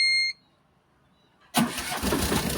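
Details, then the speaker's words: Tata Ace Gold diesel after a dead battery was replaced: a short beep, then it catches immediately into a steady idle. It had stalled while running and would not start. Clean, normal start. "இப்ப start ஆயிடுது."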